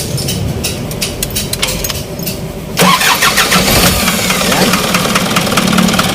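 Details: Isuzu 4HL1 diesel after overhaul that wouldn't start for 6 months, camshaft found out of timing and corrected: light clicking at key-on, about three seconds of cranking, then it fires and settles into a steady, even idle.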